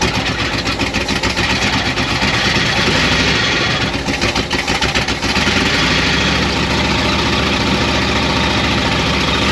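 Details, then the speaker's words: 1972 Oldsmobile 98 V8 revived after storage and jump-started: the idle lopes with irregular stumbles and skipped beats. Misfire cause not yet found; plugs slightly fuel-fouled. "it still has that awful Miss but we got it back running again we can move it around if we need to but I'm going to start pulling plugs out and seeing why we have this mess"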